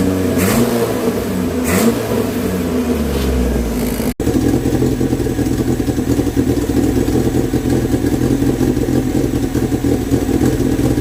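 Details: Renault 16 TX engine started after rebuild: blips up and settles into an even, steady idle, no knocks or rattles; normal running.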